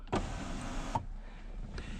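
A brief, even electric whir from the sunroof motor, ending in a soft stop; it sounds healthy.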